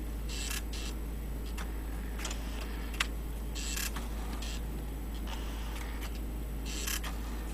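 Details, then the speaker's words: Vintage laptop-typewriter with a non-impact printer running the built-in demo, catching up with typed text from memory. Quiet light ticks and short whirs at an uneven pace over a low hum. Normal printing, just slow. "as you can see it doesn't print all that fast but it it keeps up with the memory one you're typing"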